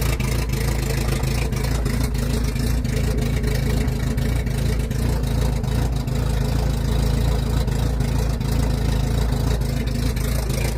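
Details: 1981 Toyota Corolla TE72 with swapped Nissan KA24DE, high-compression SOHC pistons and open downpipe, idling rough with a dull, uneven low knock about three beats a second; rod knock, blamed on an untrustworthy machinist.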